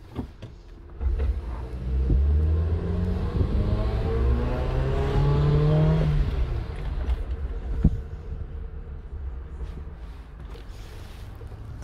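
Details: 2009 Suzuki Jimny, warm O2 sensor, wide-open-throttle run down driveway: engine climbs slowly and strains then falls away; mixture goes rich, not fuel delivery—blocked exhaust causing low power, confirmed by thermal imager and in-cylinder pressure transducer.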